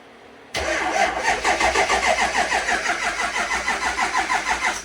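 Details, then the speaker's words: Jeep XJ off-road rig cranking with the front wheels off the ground: laboured, even cranking about three beats a second that never catches; battery dead, slow cranking from a weak battery. "Battery's dead though. It's sounds like it's gonna start. Try it again."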